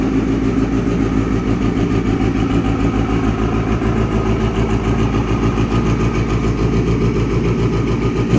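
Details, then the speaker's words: Kawasaki ZX6R streetfighter build after fuel pump problem was resolved: steady, even idle with crisp exhaust note that picks up cleanly on revs, no misses or knocks; engine running healthy. "so that's what she sounds like absolutely amazing"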